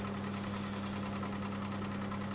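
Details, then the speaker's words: Stratos FU-230 woodturning lathe turning a large platter outboard: a steady motor hum with a faint, regular light clicking that comes from the chuck. "I've just noticed the clicking, it's coming off my chuck."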